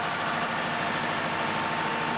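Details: Perkins generator diesel engine running: steady, even drone with no misses, knocks or hunting, a smooth, healthy run.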